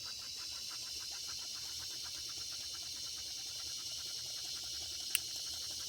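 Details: Circa 1946 Watt Victor electric-heated toy steam engine after repair, smokestack near 200 degrees: steady hiss with light, even chuff several times a second, no stumbling, speeding up as temperature rises; running normally.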